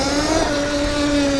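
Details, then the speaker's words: ETM RTR electric bike on first ride after fitting a Revolver Alpha upgrade motor, 420 chain and TruMoto tune: a steady metallic whine at even pitch over the motor hum as the throttle eases; source unknown. "What is that? That is a crazy sound. I don't know if I like it. It's not very confidence inducing. That right there, that like kind of metallic sound."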